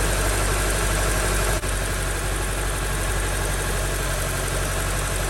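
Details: 2003 Honda CR-V during misfire repair, engine at idle: steady, even low rumble with no miss, stumble or knock; runs smoothly.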